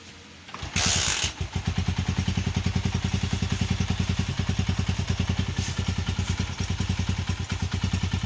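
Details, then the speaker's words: Honda CG 125 single-cylinder after complete engine rebuild and refit (connecting rod had been making noise): quick start then even thumping at steady idle, no knock or rattle, no extra engine sound; still to be run in; normal idle. "अल्हम्दुलिल्लाह okay की report में कोई engine में extra sound नहीं है"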